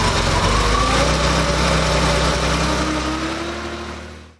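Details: Freshly rebuilt Porsche engine with CIS fuel injection, first start after fuel distributor and warm-up regulator repair: settles into a smooth, steady idle with an even low thrum and no knocks; normal idle.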